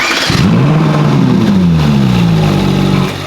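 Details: Ferrari 458 V8 at first start after rebuild, on a gentle rev near 3,000 rpm: deep burble climbs smoothly and settles back, clean and even; engine sounds healthy.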